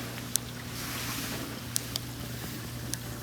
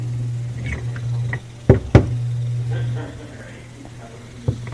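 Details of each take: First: Miele dishwasher after replacing a noisy, slow-filling fill valve with a generic one, test fill: steady low hum and even water rush with only a few light clicks, no machine-gun chatter; normal fill. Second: Miele dishwasher before repair: old fill valve makes a machine-gun noise during fill, with steady low buzz and irregular clicks, and the intake/drain light comes on; valve probably not fully opening, chattering back and forth.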